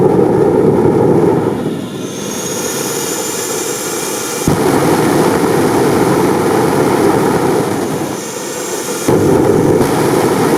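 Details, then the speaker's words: Jet motorcycle turbine afterburner: loud roar drops away twice and surges back as the flame blows out in two stages, main flame then thin blue stream, after longer-reaching injector jets; cause unclear; afterburner flameout. "As you can see, the afterburner blows off in two stages. First, the main flame disappears, and a thin blue stream remains, and then it blows away too."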